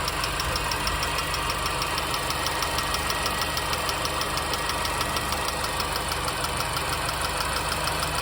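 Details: R53 MINI Cooper petrol engine idling with a steady, light ticking of about three clicks a second over the hum; source unknown.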